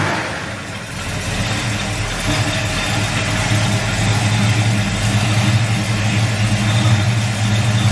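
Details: Restored 1965 Ford Mustang coupe V8 with aluminum heads and long-tube headers: a steady, even burble at idle with no knocks or misses; a healthy running engine.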